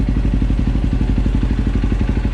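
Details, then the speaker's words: KTM 530 EXC-R single-cylinder, after fitting a manual cam chain tensioner: quick even low thumping idle with no ticking or rattle; cam chain slap gone. "listen to it now you heard it before i mean it was outside but i haven't started it since then it was almost silent hardly doing any kind of vibrating no clicking clacking the tensioner's doing what it's supposed to do"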